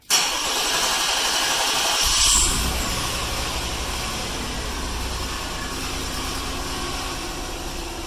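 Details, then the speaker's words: Mercury Villager/Nissan Quest after a DIY fuel injector replacement, key cycled to prime the fuel rail: a brief crank, then it catches and settles into a smooth, even idle with no misses or knocks. No codes afterwards. "There you go. Nice and smooth."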